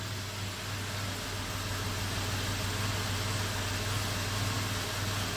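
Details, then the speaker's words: 1997 Toyota 4Runner, 5VZ-FE V6, 270,000 miles, idling with code P0304: a low drone with an uneven, lumpy pulse from a cylinder 4 misfire, with audible rpm hesitation and heavy engine shake. "there's even audible hesitation in that RPM when it idles p03 04 Miss fire number four you will probably hear it better here BEC quiet you see the shake engine is shaking a lot"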